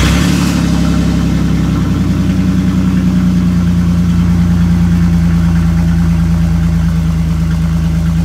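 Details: 1999 Chevy S10, 4.3L V6 automatic, idling after the rear catalytic converter (of two) was sawed off by thieves: deep, loud, throaty straight-pipe roar at steady idle.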